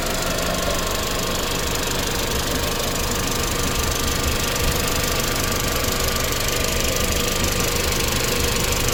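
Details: Audi B7 A4 1.8T, tuned, metal injector cups, new cam chain tensioner, hot idle: fast light irregular ticking, only when hot at idle, no codes; owner suspects low oil pressure to chain tensioner at idle, or injectors.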